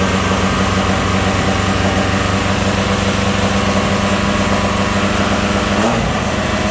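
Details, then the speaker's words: Saturn S-Series with rear-mount turbo, first start: steady raised idle drone with no dip, dropping suddenly near the end; running too high like a vacuum leak, with fuel smell from an untightened fuel line. "smell fuel, and it's running too high like there's a vacuum leak."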